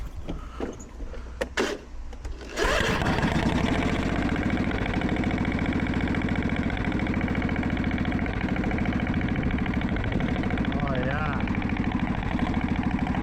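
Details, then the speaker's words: Briggs & Stratton engine with dirt under the engine covers and overheating. After a few cranks it runs with a loose, rapid ticking clatter over idle. Valves first suspected (stuck or out of adjustment); a bent pushrod was found. "Oh, good Lord. Well, the first thing that I think of when I hear that is gonna be valves."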